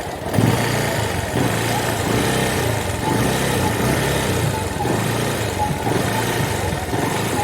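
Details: Bajaj Discover 135 before repair: single-cylinder idle stumbles and dips unevenly, then cuts out, while the headlight dims; misfire traced to a burnt connector socket.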